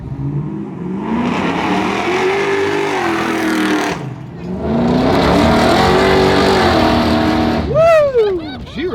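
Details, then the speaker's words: V8 car bought at auction, after an engine-bay fire on start, under two hard accelerations: pulls strongly, pitch rising cleanly and evenly with a brief lift between; sounds healthy, runs good. "She runs good. Woo! She healthy. She sounds good."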